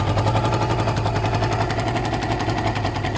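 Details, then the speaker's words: Suzuki ZL600 Eliminator twin after carb work, running without choke: quick, even pulsing idle with no hunting, misses or hesitation; carbs still need work and an air leak remains. "and that sounds pretty amazing."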